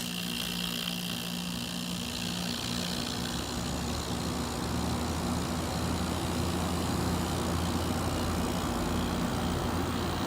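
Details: 1980s General Electric Thinline window air conditioner with GE rotary compressor, pre-restoration; compressor starts and settles into a steady, even hum with constant low tone, no knocking or rattling; normal running.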